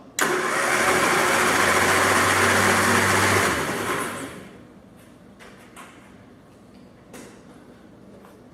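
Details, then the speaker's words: 1967 Triumph Spitfire junkyard revival, spark plugs removed: fast, even whirring starter spin of about four turns a second, no firing. Starter cranking the engine freely and normally. "right so we know we've got starter let's go ahead and put our plugs back in and see if it sounds like we have compression"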